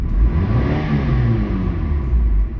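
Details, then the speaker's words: Mitsubishi Eclipse on light then over half throttle, after new plugs, wires, coils, O2 sensor, EGR valve: deep note rising but surging and stumbling unevenly; sputters under throttle, with multiple misfire codes stored, cause unconfirmed. "Press on the gas. Press light. Okay. Press more than half. It sputters."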